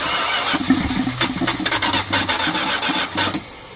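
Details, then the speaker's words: 1979 Dodge truck, sat over 10 years with an engine problem, running on fuel poured into the carburetor: catches in ragged uneven bursts with a clicky clack, then dies; not picking up fuel from the tank; fuel starvation stumble. "Sounds horrible. You can kind of hear that clicky clack clack click. A little more fuel. Shut up. I don't think we're picking fuel up."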